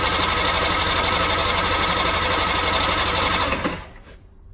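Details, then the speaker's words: Scooter (Energy) cylinder compression test with gauge while cranking: light, even cranking about four beats a second, only about 4 bar versus 6–8 bar expected; low compression, cylinder likely worn and needing replacement, explains recent poor running. "komme nicht über vier bar da schaut nicht gut aus vermutlich muss ich den zylinder ersetzen das erklärt auch warum eigentlich in letzter zeit so gut wie gar nicht oder auch nur schlecht lief"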